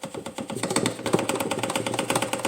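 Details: Polaris Sportsman 450 idling, seat off, with a quick, steady tapping rattle from a loose piece by the air filter housing near the gas tank.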